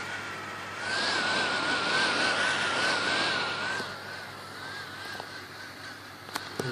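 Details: HP 455 laptop that won't start, Esc key unresponsive: wavering whirr rising and dipping unevenly over steady hiss with faint clicks, erratic fan/HDD; failed motherboard, later replaced under warranty, fixing it.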